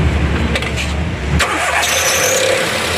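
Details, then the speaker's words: Volkswagen Ameo at startup: a high squeal rises over the idle as the serpentine drive belt slips and runs loose. The belt tensioner is weak. The noise also appears under load, e.g. with AC on or when downshifting. "അപ്പൊ belt slip ആവുന്നുണ്ട് belt free ആയിട്ട് പോകുന്നുണ്ട് ദാ ഇപ്പൊ already free ആയി അപ്പൊ ഈ tensioner complaint ഉണ്ട്"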